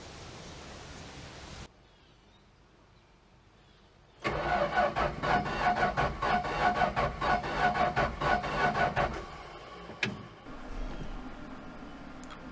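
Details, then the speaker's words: Slant 6 engine that isn't running right, compression test with gauge in spark plug hole: starter cranks about five seconds with even, steady chug; about 135 psi on this cylinder, normal cranking compression. "can see it looks like about 135 pounds or so now we'll take a look at the other five and make sure that the compression's about the same on the rest of them"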